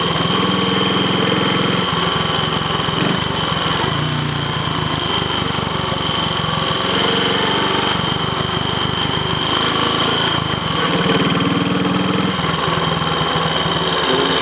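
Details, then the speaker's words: Triumph Tiger Cub single on a road test, overheating after hard running, labouring with load: the engine is mechanically quiet, but a rough rattling tinkle rises over its beat. Pinking (detonation) under load. "notice that the engine seems mechanically quiet all that noise was Pinky and it was getting very hot as well"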